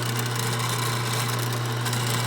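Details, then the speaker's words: Pitco fryer oil filter pump after reconditioning and reassembly to motor: steady low hum with even tone, no knocks or grinding, note changing when a finger blocks the intake showing suction; pump and motor coupled properly, normal running. "you can see when I put my finger in here you can see the pressure on the on the M on the pump you can you can you can hear the noise you can hear the noise is changing that means there's a suction of air"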